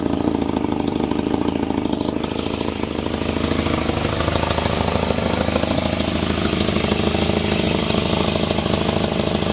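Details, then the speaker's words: 1984 Volvo 245 parts car, 91,000 miles, at idle: quick puffing tick roughly three a second riding on the engine beat; exhaust leak, no blow-by seen. "She's ready to run. Let's give her some rip'ems here. Definitely an exhaust leak."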